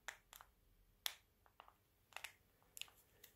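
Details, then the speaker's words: LG B8 OLED TV remote after a few weeks of use: irregular crisp crackles, about a dozen in under four seconds, as the back is gripped to press buttons; the plastic remote casing creaks. "And whenever I seem to go to press a button, you automatically sort of, you know, you grip at the back and you get this creaking."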